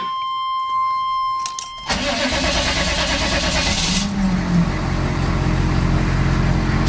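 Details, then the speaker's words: Squarebody diesel truck with dual tanks: a short key chime, then the engine fires right up and settles into a steady, even idle clatter with good oil pressure; a healthy start. "fires right up got good oil pressure"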